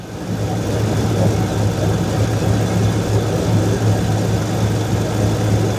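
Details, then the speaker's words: 2002 Chevrolet Silverado V8 after transmission and Y-pipe exhaust install: steady idle with low rough puffing under the exhaust note; V-band clamp not fully seated, leaking around it. "Also see where this exhaust leak's coming from. Must not have my VB band seated all the way around. It's leaking around it."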